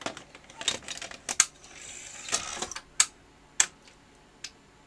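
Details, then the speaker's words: Panasonic MII-format professional video recorder, bought non-working: irregular clicks and a strained motor whirr as the tape laces, slow and labored; lacing/loading motor and its belt suspected, cause not yet confirmed. "they seem seems to be very slow and labored doesn't it okay we'll have to look at the motor that does the lacing there"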